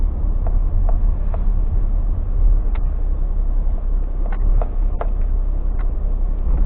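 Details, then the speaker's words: Suzuki Alto 800 with Viking car alarm and central locking: over steady engine rumble, short sharp clicks and clunks from the doors as the central locking auto-locks about 30 seconds after unlocking, all doors locking simultaneously. "Yun guys, narinig niyo yun? Nag-lock na yung door."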